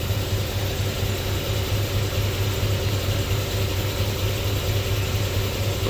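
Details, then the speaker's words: Squarebody C10 with an LS swap idling at no more than about 550 rpm, with a misfire code for cylinder number four: a slow, uneven, stumbling beat about twice a second. Misfire at low idle; idle to be raised before chasing it. "I'm not going to get too crazy about them misfires until we get this RPM bumped up"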